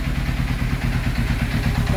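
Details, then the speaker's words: 1991 Kawasaki ZXR750 twin-turbo build, first run after fixing coils firing 180° out: lumpy uneven idle with irregular stumbles and muffled chuff, plugs pulled super black and rich; rich misfire. "Ripped the plugs out cuz it still sounded horrible. Super black. She's rich as."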